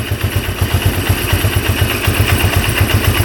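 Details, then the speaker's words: 1997 Polaris Magnum 425 6x6 ATV, single cylinder: steady idle thumping about four times a second, clean with no pops or backfires through the carb. Valve clearances were checked at 0.006 in; owner guesses a pump caused the earlier popping. "not a single pop out of there so it cured itself I'm guessing it was that pump but we'll see when we put it all back together right now it's running pretty good"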